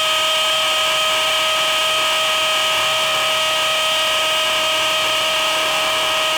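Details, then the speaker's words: DeWALT DCD999N cordless brushless hammer drill, gear 3, hammer mode, 25 mm rotary hammer bit into 20+ cm K250 concrete: loud steady high whine with fast even hammering; working strong and normal. "ya kita tes impactnya berasa atau enggak uh dari suaranya aja itu impactnya sangat-sangat Berasa ya"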